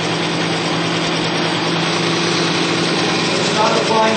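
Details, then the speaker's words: Bearing lubricity test rig, race bearing spinning in diesel with Bi-Tron diesel conditioner added, pressure being applied: steady even hum with faint rhythmic rub, no high squeal, sound changed from plain diesel; bearing running smoothly. "You can even hear that the sound actually changed a little bit. It's not squealing anywhere, not like as much as it was before."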